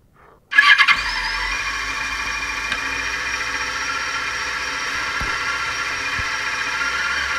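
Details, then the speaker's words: Motorcycle start via a homemade electronic stethoscope microphone: faint key clicks as tumbler pins move, a thin steady fuel-pump priming whine, then the engine catches and settles into an even run; normal. "so what you just heard was the key going in the ignition and every single Tumblr pin moving out of the way and then you can hear the whine of the fuel pump and then the bike starting"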